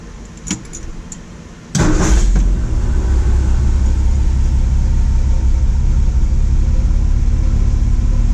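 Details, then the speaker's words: Engine that previously knocked, after resetting ignition timing to 4° before top dead center with 18 inHg vacuum, coolant found in oil: starts after short crank, smooth low even idle, no knock heard. "i don't hear the knock [Music] sounds good"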